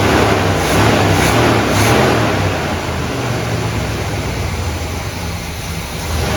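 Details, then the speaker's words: 1972 Buick GS Stage 1 SunCoupe V8, sat about 6 years: idle surging and sagging with loose pulse about four per second, won't stay running at lowered idle; suspected vacuum leak or throttle plate gasket. "I just hate the fact that it won't stay running when I take the idle down."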